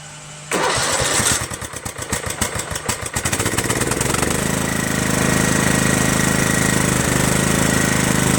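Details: Craftsman LT1000 lawn tractor, Kohler Command CV460S single-cylinder engine, just reassembled with replacement top-end parts, started with muffler on: brief crank, catches and settles to a steady even thump with no knocks or misses; runs great, normal running.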